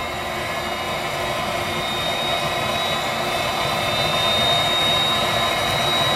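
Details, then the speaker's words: Viessmann Vitodens 200-W WB2B35 condensing boiler, built about 2011, in service about 5 years: steady rushing fan noise with a thin high tone and no burner roar. It is in its hung non-heating state, fan and circulator pump running, burner not firing, no fault codes; cause unknown. "okay we're back a short time later and we're in this this hung State now where the bow is no longer going to function"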